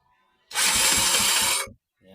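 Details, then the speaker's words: Motorcycle hard starting: starter whirs steadily for over a second with faint slow pulses but no catch; long cranking blamed on weak electrical current, a part suspected. "tagal siya umandar so Mahina na yung ano niya Mahina na yung kuryente niya"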